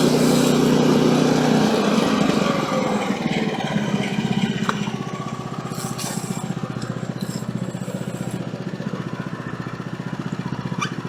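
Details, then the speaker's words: Woodland Mills HM130 Max portable sawmill, after tensioner bearing replacement following a nail strike, test cut on small silver maple log: engine drops from high rev to steady, even beat under cutting load, no surging; running smoothly. "All right, so no surging at all on that one. So that's good. It's kind of what I was hoping for."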